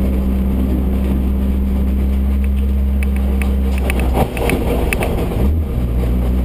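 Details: Owner's second F13, running with a heavy low drone and steady hum that changes with load; a manual gearbox failure.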